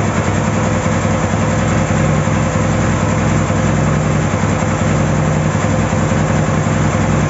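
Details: Ural 650 twin motorcycle starting after a breakdown repair, settling into a steady, even idle with a soft low thump and no knocks or misses; normal healthy idle.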